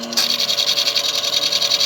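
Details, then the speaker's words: Golden LTC10 washer with a new sealed mechanism spinning quietly with a soft even whoosh after its bent, crooked belt was pulled back into place; the gravelly scraping noise during spin is gone. "bom então a peça é nova ela veio com a cinta envergado a cinta tá porta já veio assentar torta eu puxar ela mais para cá acaba o barulho"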